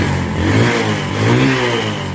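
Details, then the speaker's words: Single-cylinder bike that would not start, finally running after refitting the spark plug: starts and revs up and down smoothly with a clean, even beat and no misfire; normal running. "সাউন্ডটা খুব সুন্দর। First class."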